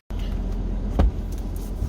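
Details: 1969 Mustang restarted after sitting 5 years, after correcting a wrong firing order and a bent timing pointer: the engine catches and settles into a steady, even low rumble with no misfire or stumble, now running right.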